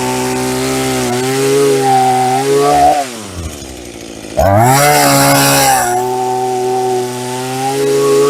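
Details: Hitachi CS33EB chainsaw after the bone-dry chain oil tank was refilled, cutting a roughly 5-inch log: strong steady revs bog only slightly in the cut, then pick straight back up. It cuts normally, making a medium chip; chain is not super sharp.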